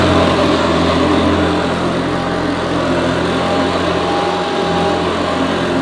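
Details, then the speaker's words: Hoover Senior U4003 upright vacuum, American model imported for UK on 240 V, 400/600 W: even steady motor drone, no rattles or surging, slightly different from Ranger Senior but sounds as it should; normal running. "sounds slightly different to our Ranger senior model but I think it sounds as it should please comment below if you think that sounds correct"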